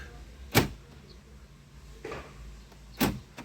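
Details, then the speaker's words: 2010 Fiat Linea, newly activated centre console buttons: crisp, quick actuator clunks, one per press, in a quiet cabin as the locks open and close. Central locking operating normally. "zaten sesler duyuluyor şöyle de yapalım bastığımızda açtık bir daha bastık kapattık gibi"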